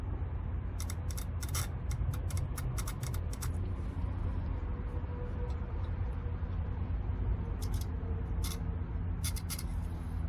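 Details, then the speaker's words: Sharp, quick bursts of crisp clicks over a low hum from a 2014 Ford F150 fuel injector removed and bench-tested with 12 volts, snapping open and shut properly; the third injector stayed silent and is bad. "You can hear it like click, click, click, click, real fast. I mean, it does like pretty good."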